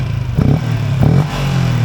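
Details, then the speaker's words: Malaysian LC V8 motorcycle after fitting an Uma air filter with intake trumpet (snorkel nose kept, otherwise stock): three quick throttle blips, each a rising intake whoosh over steady idle; revs cleanly with high response, normal. "So respon dia tinggi. Kalau nak hilang, nak kuat lagi bunyi wuuk dia, kau buang hidung ni."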